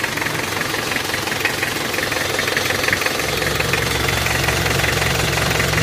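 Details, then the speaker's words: Panther 23 diesel from Malang, before engine removal: harsh, rattly idle with a swelling chuffing undertone, exhaust smoking and smoke under the engine. Heavy blow-by; mechanic suspects a scored cylinder liner. "Oke, mulai keluar asap ini. Suara knalpotnya bok. Pipa buangan bawah ini sepertinya ada yang baret linernya."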